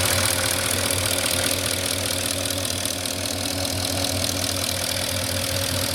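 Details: 2004 Porsche Cayenne S 4.5 V8, about 50k miles, well maintained, three minutes after a cold start: a light quick tick about four per second over a smooth idle. Owner thinks it is normal, not piston slap; unconfirmed.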